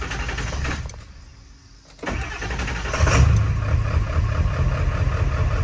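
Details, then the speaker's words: Half-million-mile Ford 7.3 Powerstroke diesel starting after replacing both damaged valve cover harnesses and gaskets, which caused hard starting, lope and shake; brief crank, quick catch, steady even idle, much smoother, only slight lope remains. "That is much better. Oh my goodness. This is much smoother than it was before I did the harnesses. Not perfect still. She's still got a little lope to her, but it started up."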